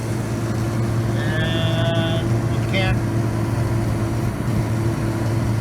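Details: Goodman gas furnace whose pilot lights but does not heat (flame sensor usually suspected): steady, even low hum with brief outside noise over it. The furnace blower is running normally.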